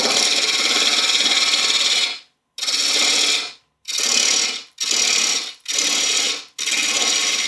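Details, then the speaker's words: Wood lathe turning a bowl blank with a Hurricane carbide tool, taking half the cutter width or less and going easy while cutting a lot of air: repeated one-to-two second bursts of even hissing cut with clean gaps between them, no chatter; normal cutting. "I'm only taking about half the width or less of the carbide cutter at any time"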